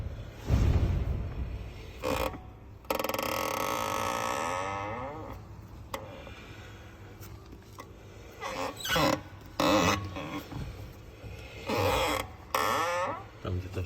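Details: Tesla suspension (half-shaft mentioned): intermittent, drawn-out rubbery creaks with quiet gaps between them; owner suspects rubber binding on the disc, not confirmed, needs inspection.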